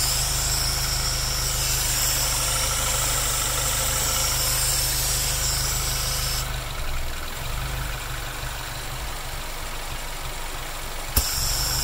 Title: Dual Catch Can Rough Idle